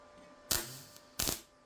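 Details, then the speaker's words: Beginner's practice MIG welding: two short bursts of harsh crackling spatter, each under half a second, with no steady frying hiss; wire speed is suspected too low and is then turned up. "I think I need to change a setting because that's kind of spat out oh yeah oh yeah oh okay that's a thing so that I think the Y speed needs to go up a little bit"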